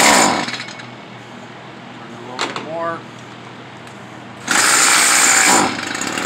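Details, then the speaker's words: Stihl FS 55R two-stroke trimmer during carburetor adjustment: snarls on throttle bursts, then sags to a thin idle. It is bogging on throttle; the fix suggested is turning the screw counterclockwise, though the owner concludes it needs a new carburetor. "this one is bogging down when you hit the gas it bogs out so you'd be turning it counterclockwise"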